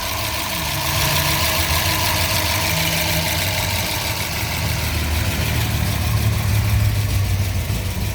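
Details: 1970 Ford Mustang Mach 1 with freshly built motor, solid lifters and mild cam, just started: steady low idle with a slight uneven lope and light valvetrain ticking; normal lope from the cam, engine healthy.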